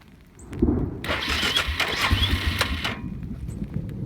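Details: Suzuki Eiger 400 ATV, hard to start since sitting overnight despite new petcock, rebuilt carburettor, adjusted valves, cleaned tank and new coil; runs well once started: about two seconds of steady cranking that never catches, cause unknown.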